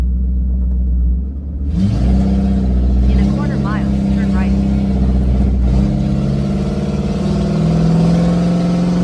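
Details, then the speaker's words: 3V Mustang V8 with Gibson catless X-pipe, running rough, accelerating: deep, rough rumble swelling under load, rasping more than a healthy exhaust should; owner sure of an exhaust leak, will check O2 sensors are tight; plugs and tune also pending. "yeah for sure I I have a it's a leak it's for sure a leak because it's not supposed to sound like this"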